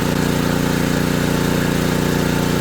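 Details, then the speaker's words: ETQ3000 3000 W portable generator after repair, under about 1500 W load (toaster oven): steady, even engine drone with no hunting, misses or surging; handling the load fine. "It's handling it just fine."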